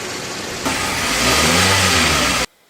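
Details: Toyota Avanza 2015 after a crank-no-start fix (spark plug clearances adjusted, position sensor cleaned); engine idles, then rises cleanly into a steady rev without stumbling or misfire before cutting off; runs properly.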